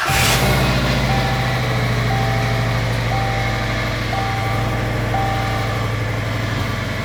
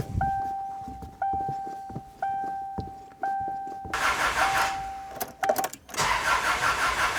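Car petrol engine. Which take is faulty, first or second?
second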